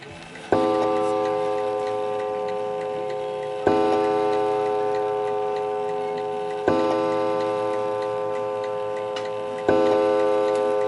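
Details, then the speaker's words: Antique 1920 Napoleon-hat mantel clock, calibrated and set to strike at 11 o'clock: clear bell strikes about every three seconds, each ringing out evenly; the strike train works properly. "So it's set to go off at 11 o'clock, so let's try it at 11 o'clock. So slowly bring it into action."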